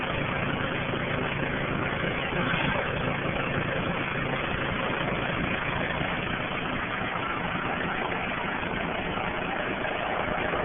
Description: This is a Rheem 13AJN 5Ton condenser we installed a week ago. Rheem Tech support has been poor to say the least! Unit sounds like a chopper taking off.